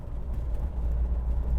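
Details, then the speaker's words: Diesel with 4-speed manual shifted into fourth at about 30: deep steady drone with a slight bog; engine lugging from shifting to fourth too early, needs about 40, has always done it. "And you hear that little hum. It bogs down a little bit if you shift into fourth too soon. Really needs to be around 40 before you put it into fourth on this car. Is sort of the diesel harmonic resonance."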